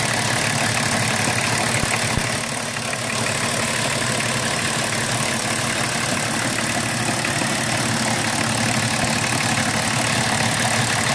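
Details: BMW 325tds E36 diesel, after replacing the Bosch R515 injection pump actuator seals: rough, uneven idle clatter at about three beats a second with heavy hiss; abnormal noise, cause unclear.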